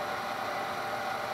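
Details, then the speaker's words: Denso alternator for Jeep Cherokee XJ/ZJ, slip rings skimmed and new brushes fitted, bench-driven by a mill into a load resistor at about 50 amps until the mill stalls: steady even whirr, no grinding or squeal; normal operation under load. "so that's that's about 50 amps and then the motor of the mill stalls because of the boost kicks in there's nothing I can do quickly but it works fine we can hear it's doing some loads"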